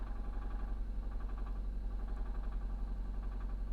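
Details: Supercharged Jaguar XF at auction, started after sitting a while: at idle a low steady thump about three times a second under the engine note; possible rod knock suspected, not confirmed.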